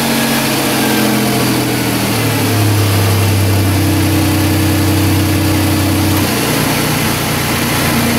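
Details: 2005 Chrysler Pacifica after A/C condenser replacement, oil added and recharged with 1.81 lb refrigerant, cooling fan reconnected: steady idle with a new low tone as compressor clutch engages around two seconds; A/C working normally.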